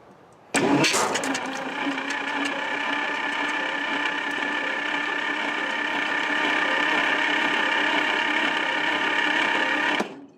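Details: Lark engine freed after seizing from rusted bores, spark plugs removed and sprayed with lubricant: starter spins it fast and evenly for about nine seconds, no compression chuffs.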